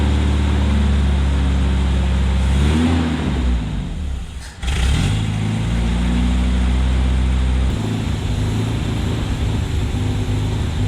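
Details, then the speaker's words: 1972 Opel GT revived after decades sitting, just started: lumpy uneven running that stumbles and dips midway then picks up; rough idle from carburetor base gasket vacuum leaks. "I'm going to tell this carburetor part because we figured out there's some vacuum leaks on the uh we I tightened up the bolt"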